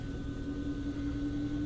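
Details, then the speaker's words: HVAC variable speed blower motor after replacing the failed motor, running in fan mode: smooth, even mid-pitched hum with no ticks, rubbing or wobble; normal blower running. "That's how it's supposed to sound. [Music] Yeah. You're ready to rock now."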